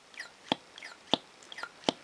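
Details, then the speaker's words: Sheaffer Triumph vac-filler fountain pen after servicing with a new packing washer, a new plunger rod washer and grease. Three crisp pops about 0.7 s apart, each with a soft suck, as the plunger draws properly. "and you can actually hear the the Piston actually uh or the plunger should I say sucking in"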